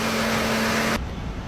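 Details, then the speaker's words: 2014 Ford 3.5L EcoBoost, 145,000 miles, after timing component replacement: high-speed cooling fan roar cuts off, leaving steady even idle with no knock or tick; runs great, fixed. "Now we'll put it into gear because that was their main concern. Still runs great. I say that's a fix."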